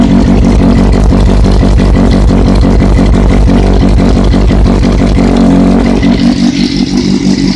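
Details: Running engine with a loud, steady metallic rattle at about three beats a second that barely changes with revs, located next to the sprocket. Owner suspects bearing failure, unconfirmed.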